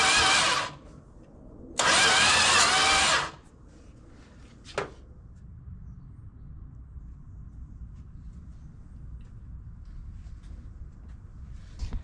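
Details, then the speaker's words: Classic six-cylinder project car with power restored to the coil but spark very faint: two short cranking bursts with no firing; the distributor cap, probably original, is burned and timing was very low. "But I mean the spark here is so faint. Even seven and a half to compression won't fire on that."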